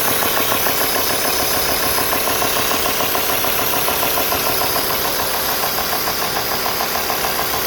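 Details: Alfa Romeo 2.4 JTDm diesel idling warm at 90 °C water temperature with a crisp, even knock about twice a second over the clatter; strange internal engine knock, source still needing diagnosis.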